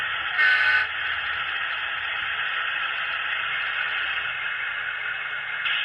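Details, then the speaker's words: HO-scale Atlas Chessie System B30-7 model locomotive with original QSI sound decoder: thin buzzy diesel drone with harsh crackling and brief horn toot; speakers distorting badly, to be replaced along with an upgrade to an ESU LokSound decoder. "If you heard that sound where that was coming out of them, those speakers sounded pretty bad. All that crackling and stuff."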